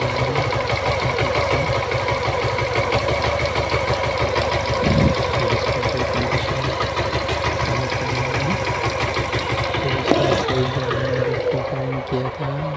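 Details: Suzuki Gixxer FI motorcycle engine with a sound problem; busy, clattery idle with a fast uneven tapping running through it, cause unclear; abnormal engine noise.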